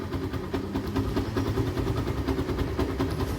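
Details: Yamaha FZ-S after timing reset: small single settles into even, steady idle thump with no timing chain rattle or ticking; normal idle.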